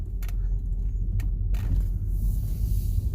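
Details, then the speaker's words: 2015 Toyota Prius driven over bumps after a rear shock was replaced: steady low road rumble and a few soft thumps, with the loud rear rattle gone. "we got it the noise is gone okay satisfying"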